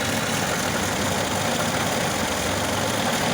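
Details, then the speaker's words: VAZ 2101 after fixing no-start: distributor was installed 180° off, pointing to cylinder 1 instead of 4; reinstalled rotated 180°, started on second try with choke: steady even idle rumble, no misses; runs smoothly. "Зараз попробую завести завівся другого разу первий раз підсосни причепив"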